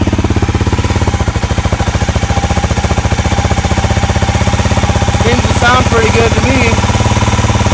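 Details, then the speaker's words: Honda CRF250L on its first startup after a 305 big bore kit from the shop: a strong, even single-cylinder idle thump with no rattle or knock; the muffler looks more yellow and blue, so owner suspects it runs hotter. "The fact that it's not rattling is a good thing."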